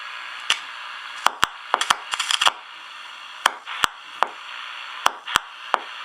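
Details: Ranger RCI 2950 radio: steady hiss with sharp irregular crackles and pops coming and going, not from the airwaves; audio changes when the bracket nuts are tightened or loosened, suggesting a poor connection.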